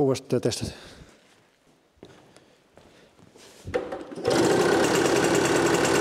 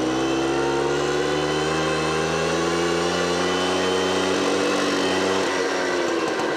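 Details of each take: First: Automatic two-speed Tunturi Pappa two-stroke moped started after carburettor cleaning, covers off; a few clunks then catches and settles into a fast even buzz; runs normally, jet still to be fine-tuned on a test drive. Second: Automatic two-speed Tunturi Pappa moped with centrifugal clutch, two-stroke, during carburettor service; idle steady but quick, dipping slightly while adjusted; idle set too high, clutch starts spinning, needs lowering.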